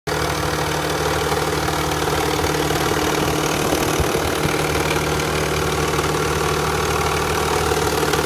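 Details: Nissan Fairlady Z Z32 twin turbo, idle compared right after cold start versus warmed up, louder when cold: loose, dry rattle over a steady idle; hydraulic lash adjuster noise in the valvetrain.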